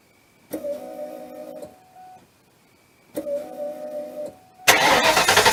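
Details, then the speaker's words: Mustang that sputtered when low on fuel: microphone under the gas tank while keying on, two roughly one-second priming runs with a steady mid-pitched hum that sounds wrong to the owner; abnormal fuel pump priming noise, cause not yet clear. "when I key the pump here yeah it just it does not sound right to me"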